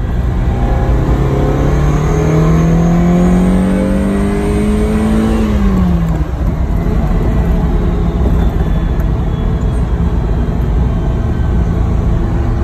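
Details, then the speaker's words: Ferrari 308, second gear, full throttle from 3000 rpm: thin whistle from about 4000 rpm climbing with revs, fading as it eases off; persists with airbox open, so not intake; owner suspects a bearing or belts. Whistle under full throttle. "from about four thousand it makes a strange whistling noise see if you can hear it so we're in second gear 3000 revs foot down"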